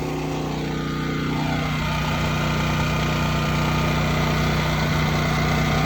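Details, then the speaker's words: Westinghouse WGen9500 DF generator, freshly broken in, on gasoline via 50 amp plug, powering a 4-ton central AC with no soft start: steady, even drone holding speed under load, no hunting or misses; normal. "We are running the air conditioner. That is a 4-ton air conditioner."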